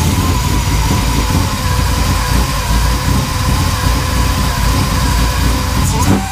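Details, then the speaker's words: GM LSA supercharger swap on an LS engine with LSX Concepts ZL1 belt drive, first start: loud lumpy low rumble that hunts and stumbles, won't idle on its own without revving, running very rich with white smoke; rough running, cause unconfirmed. "it's alive all right so I just had to running for maybe ten seconds it wouldn't really idle on its own I had to keep revving it up just to get it to idle"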